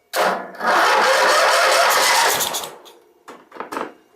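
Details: Tractor, running again: a short crank, then the engine catches and runs rough and busy on choke for a couple of seconds before settling; a normal start.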